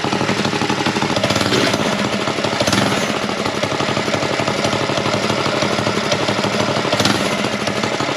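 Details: Go Power Sports Rascal mini bike, single-cylinder, carb tuned with bigger jet, choke off: pops along briskly and evenly at a fast steady beat with no misses or knocks; healthy, well-tuned running.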